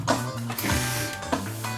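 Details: JVC RX-R76 receiver with no sound, only distortion: tuner test-signal music harsh and buzzy with gritty fuzz on every note, heard via tape record outputs on a test amp, worse through the main output; cause not yet traced.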